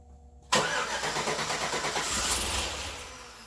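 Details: 2008 Suburban first start-up of its new engine: starter cranks, engine catches with a rough, uneven beat, then fades and dies within about three seconds; a clicking is heard, and the cause is unconfirmed, with plug wire order being checked.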